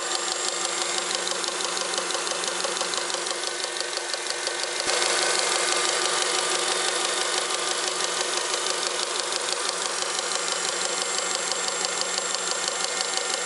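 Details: Honda Accord 7th generation, engine running, under the hood: steady, even ticking knock about three times a second. The knock was traced to the power steering pump.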